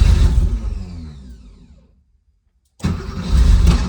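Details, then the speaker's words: Dead-cold start at about 37°F (9°C) after sitting overnight, CIS fuel injection, frequency valve relay recently replaced, no gas pedal: engine catches, revs up, sags and dies, then cranks again near three beats a second; hard cold starting. "So I have not touched the gas pedal. It went up and died. I'm going to give it another ignition."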